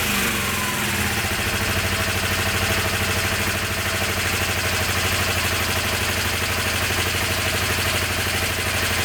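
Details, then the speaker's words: Honda CB250N twin, stone cold on choke, after right carb idle screw backed out 2.5 turns: even, steady idle on both cylinders, both exhausts warm; normal idle. "that was a good start that's running both exhaust are War okay"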